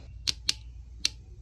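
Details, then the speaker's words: Transmission valve body solenoid from 2015 Lexus GX460 with code P2714, bench-tested at 12 V through a 21 W bulb, measuring 5.9-6.3 ohms versus 5.5 max; three crisp clicks as the plunger actuates, solenoid appears okay. "and you hear the clicking light bulbs turning on the solenoid moving in and out so it looks like the solenoid might in fact be okay"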